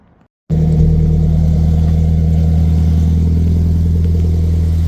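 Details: Scion FR-S, just after an equal-length header install, started to check for exhaust leaks: fires up and settles into a steady, even low idle with no ticking or puffing, sounding sealed.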